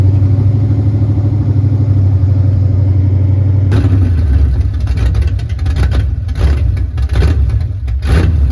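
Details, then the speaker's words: 1989 Ford Mustang GT Fox body V8 after new throttle position sensor fitted: deep, fairly even burble at about 900 rpm for several seconds before outside noise takes over; idle holding steady, still needs fine tuning. "turned off by itself. You just gotta find. Definitely better. You gotta fine tune that shit though."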